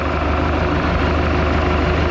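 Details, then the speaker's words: 1976 Mark Twain boat, Mercruiser 120hp four-cylinder (once stuck), warm idle during tune-up after fuel system cleaner was added: low, even rumble with a steady beat, no knocking or ticking; earlier valve-train noise has completely subsided, normal warm idle. "get noise in this as completely subsided this engine is quiet as any engine should be kind of tickled about that"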